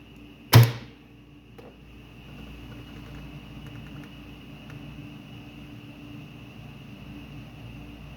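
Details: Star-delta starter with three contactors, 220 V coils and supply, NC stop, NO start and 10-second timer: one sharp clack as the contactor pulls in, then a quiet steady hum; clean, normal pull-in with no chatter.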